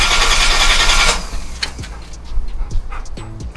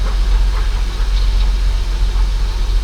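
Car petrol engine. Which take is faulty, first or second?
first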